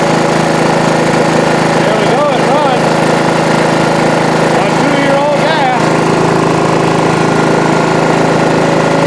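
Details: John Deere 185 riding mower, sitting two years on two-year-old gas, after carb spray through the air intake to clear gum and varnish: the small single-cylinder engine fires and runs steadily and evenly with no misses or knocks; normal running.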